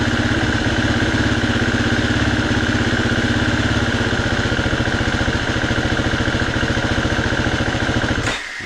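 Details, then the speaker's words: 2019 Husqvarna FE350 after storage, stone cold, under a minute of running: fast, uneven idle with stumbling, missing beats, then it abruptly cuts out after about eight seconds; misfiring idle and stalling, cause not yet found. "You hear it missing, there it goes, and it just dies. And it hasn't even warmed up."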